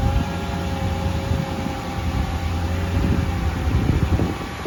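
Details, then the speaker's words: Mercedes CLK55 AMG M113 V8, first start after oil leak repair with coil packs, injectors and airbox refitted: deep, even V8 burble settling into a steady idle that swells slightly, smooth with no misfire or knock; normal idle. "Okay, so we're going to start it up first time."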